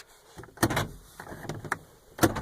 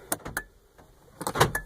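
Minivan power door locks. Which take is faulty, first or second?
second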